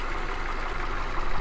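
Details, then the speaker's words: 2016 Ford Transit Connect XL cargo van with four-cylinder engine: low, steady hum with no knocks, ticks or stumbles; smooth, consistent normal idle. "it does have a really smooth consistent idle that sounds good"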